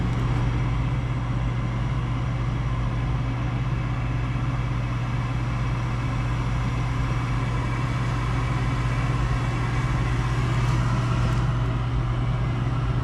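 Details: Gas package unit furnace after draft inducer replacement (old one extremely loud), finally lit on heat call: steady even low hum from inducer and burner, no rattle, squeal or surging; normal operation.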